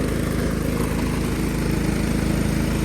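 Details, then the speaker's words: 1999 Cub Cadet HDS 2135 riding mower just after cold start in very cold weather, choke troublesome: chugs unevenly, beat wavering around three per second instead of steady idle; owner unsure why, rough cold running, cause unclear. "Oh my goodness. That was crazy. Oh, it is cold out, so... I am not sure why that's doing that."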